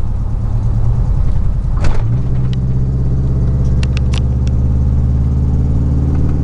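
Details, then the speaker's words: 2000 Chevy 4.8 V8 truck driving under load with four coils deliberately unplugged, running on four cylinders; deep, lumpy drone with an uneven pulse, sounds nothing like a V8, more like a little Nissan truck. "It don't sound nothing like a V8. It sounds like a little Nissan truck."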